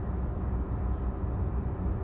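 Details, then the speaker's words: Nissan Pulsar 1.2L petrol, cold start with AC off (dealer blames AC compressor load for erratic idle; ECU updated): low steady idle with even beat, no misses, knocks or hunting; normal cold idle. "just to confirm what they said i did a cold start this morning with the ac off and yeah the engine ran smoothly see for yourself"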